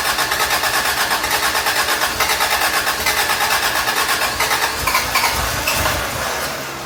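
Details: Toyota Tercel 3A-C engine just reinstalled, third start attempt after fuel lines were connected: rapid cranking near three beats a second, then catches rough and revs up; flooded, cleared by shutting choke and giving gas.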